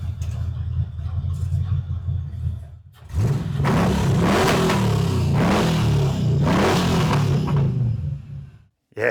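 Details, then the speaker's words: 1942 Ford Jailbar pickup, 5-litre 302 EFI V8 from an AU Falcon, twin 3-inch exhaust with two mufflers exiting after the diff: a deep V8 burble that rises smoothly through throttle blips and settles back evenly; runs well after sitting. "Yeah, she's running pretty damn good, I must say."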